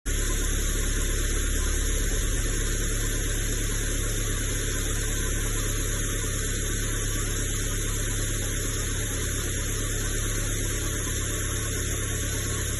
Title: Acura 2.3 turbo, knocking sound ?!?